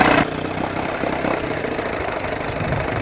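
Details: 1980 Evinrude 4.5hp two-stroke outboard idling with a steady, fast, even buzz and no stall, after the carb rebuild, broken pulse tube diaphragm fix and float adjustment.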